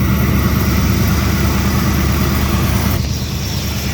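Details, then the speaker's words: Ford 4.6L/5.4L V8 after belt tensioner and idler pulley replacement: steady, even idle with a smooth low rumble and no knocks, chirps or belt squeal; runs clean. "there we go as you can see everything's running smoothly as it should"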